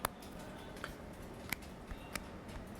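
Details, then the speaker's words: LeEco Le 2 phone, powered off, microphone close to the screen: sharp little creaks and clicks when pressing the middle of the display, loudest toward the top, from display flex, a quality-control issue and not the vibration motor. "the phone is off so there is nothing going on and when I uh press on this part of the screen it creates some sort of screeching sound"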